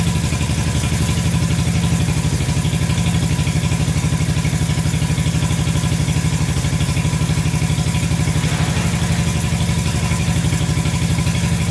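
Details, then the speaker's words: Barn-find Honda CB350 twin (listed as 1970 or 1974), revived after years sitting, oil checked and clear: steady even idle thump with no misses, both cylinders firing and both pipes hot. "but uh yeah we put more gas down it and uh both both are running great"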